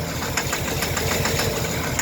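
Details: 2013 Chevy Silverado 4.3 with throttle body codes, check engine and traction control lights on, restarted after stalling: uneven, lumpy idle with irregular stumbles under steady clatter; suspected misfire, not confirmed.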